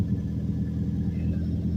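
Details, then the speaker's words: Mazdaspeed Protege with muffler delete, after sealing a leaking cat-back flange and another flange with high-temp gasket maker: deep, steady idle burble with even pulse and no puffing or ticking at joints; exhaust sealed and flowing out the rear. "well I'm pretty sure I got that one exhaust leak plug with the gasket maker stuff because this sounds like it is pumping out the rear that sounds so good"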